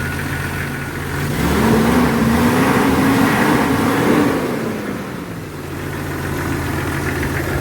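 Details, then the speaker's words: Jeep Cherokee XJ 4.0 petrol six after cleaning the idle air control valve and throttle body to fix a rough, fluctuating idle: idles evenly, briefly rises, settles steady, stays steady with AC on. "Seems to be doing okay. Seems to be idling just fine."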